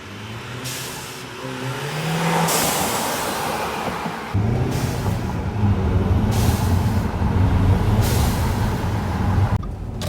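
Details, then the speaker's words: 2013 Audi A4 2.0T with newly installed ECS Tuning atmospheric diverter valve for the turbo, recorded at night: engine revs, then short airy whooshes on lift-off. Quiet inside, loud outside. Normal venting. "now it is very quiet but if you're outside the car it is loud very loud"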